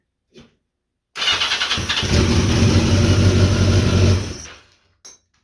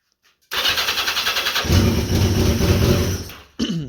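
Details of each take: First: 1982 Yamaha XJ650 after adding a temporary new ground to bypass the 40-year-old ground cable and charging the battery: brief starter whir, then the four-cylinder fires and runs evenly for a couple of seconds; clean start, bad ground fixed. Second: 1982 Yamaha XJ650 motorcycle: the starter churns about four beats a second without catching and fires only when the starter button is released; a bad ground starves the ignition of voltage; no start while cranking due to bad ground.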